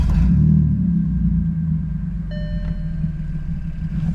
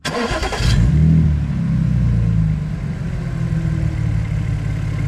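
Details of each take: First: Cheap Audi S4 straight-piped from cats to rear with only rear silencers, first start after fitting modified exhaust: deep steady idle rumble with faint puffing tick about four per second; exhaust leak, suspected from a poorly clamping clamp. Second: Audi S4 after exhaust modification, clamp refitted straight to cure a leak: quick start with brief flare then smooth even idle, no puffing or ticking from the exhaust; normal start and idle.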